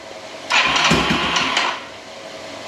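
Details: Rebuilt Yamaha YFM225 ATV first start attempt after rebuild: starter whirs and churns about a second without firing, then stops; engine cranks but won't start; oil system later primed before retrying.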